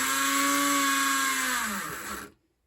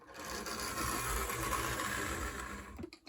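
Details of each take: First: AHM BL2 HO scale locomotive under power in both directions: steady, high, thin motor whine with no wheel or gear noise; motor spins with no drive to the wheels, most likely because the truck bottom plate is loose. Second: AHM BL2 HO-scale model locomotive on its test run after mechanical repairs: a steady whirring motor hum with light, even gear chatter and no grinding or binding. Normal running, quiet for an AHM.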